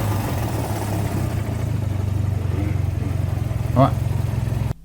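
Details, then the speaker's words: Mazda rotary engine, RX-8 13B or RX-7 FD, running before teardown: a rough, rumbling run with fast, hard pulsing and a rattly undertone under the exhaust. Teardown found a main bearing melted by heat. "you can see the heat is melted the bearing inside this is it running"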